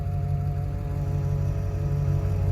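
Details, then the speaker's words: 2000 Ford F250, 177,000 miles, running: thin whine above engine rumble; power steering pump not making enough pressure, wheel locks when braking while backing; pump to be replaced. "got a whine to it also."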